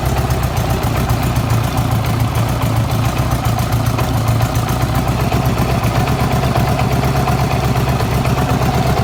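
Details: Honda GL1200 motorcycle engine idling with a rough, rhythmic knock under the exhaust beat, then shut off.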